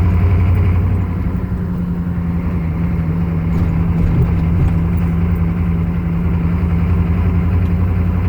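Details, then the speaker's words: 1995 Chevy 3/4-ton 6.5 turbo diesel with rebuilt DB2 (DB2831-4911) injection pump, driving on road: low drone swelling and sagging unevenly, hunting surge never settling; was worse before set-screw adjustment, cause unresolved. "Hear how unstable it is? So before I adjusted that set screw, that was way worse."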